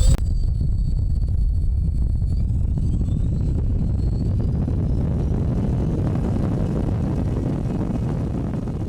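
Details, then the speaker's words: Leopard 2835 1350 kV brushless motor for Skylark S with prop, watt meter test at full throttle: steady prop roar with faint high whine, smooth throughout; healthy motor. "But these Leopards, man, they sound really good. Okay, there we go. All right, here we go with the watt meter test on the Leopard 2835 1350 kV. See, doesn't that already sound better? Sounds really good."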